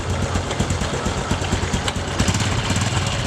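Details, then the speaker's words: Honda Revo Fit 110cc carbureted single idling after an engine overhaul; a fast, sharp ticking rides over the exhaust beat, and the mechanic suspects a leaking exhaust gasket at the port, unconfirmed. "Kayaknya sepertinya ini nelponnya bocor nih jadi Abdillah bocor lagi repot deh"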